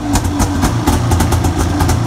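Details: Arctic Cat 570 snowmobile, American machine with Japanese engine, started on electric starter with Varta AGM battery at −40° on full choke: rough, choppy two-stroke idle with steady low burble, no knocks; normal cold idle.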